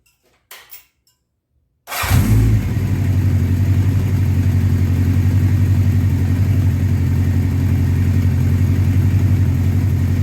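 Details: 1984 Honda CB700SC Nighthawk after carb cleaning, idle screw turned up, warming up, plugs were fouled: starts cleanly, steady even idle about 1400 rpm, a bit high; normal fast idle.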